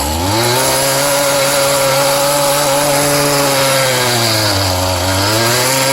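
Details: Scrap-yard weed-trimmer-engine cultivator; owner suspects straight gas use lowered compression: buzzy two-stroke holds a steady high speed, dipping briefly and recovering cleanly; runs smoothly.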